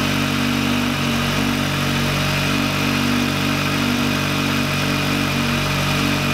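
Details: VW Lupo 1.8T turbo first restart after engine failure, rebuilt with H-beam conrods, new bearing shells and 2 mm thick head gasket: even, settled idle with steady hum and faint whistle, no knocking or ticking; runs very well.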